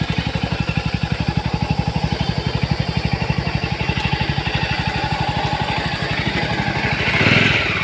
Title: engine sound in jawa 42 such a bad sound ,#jawa42bs6 #jawa #automobile